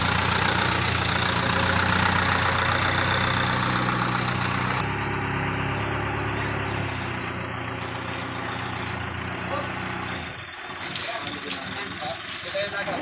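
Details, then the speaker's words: Newly overhauled carbureted Mitsubishi Lancer engine: uneven idle with a steady beat near 200 per minute. Valve clearance was set wrong, with cylinder 2 and 3 rockers closed tight, so there is no compression and it runs rough. "so hindi tama yung ginawang clearance dito sa barbula na to kaya nagluko makina nito kumbaga natukan yung mga barbula singaw So walang compression"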